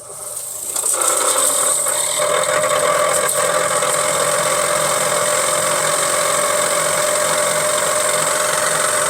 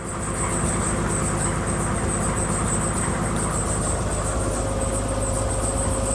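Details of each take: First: 1963 Ford Falcon Futura heater blower motor run with the dash opened, old cardboard plenum full of leaves: steady fan whir with light irregular rattle as chunks of debris are thrown out; blower wheel clogged with leaves and debris. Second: 1963 Ford Falcon Futura heater blower running after new heater plenum and defrost ducts were fitted: even, steady rush of air over a constant low hum, no rattle, squeal or scraping; blowing out good, though owner thinks the blower wheel may need replacing.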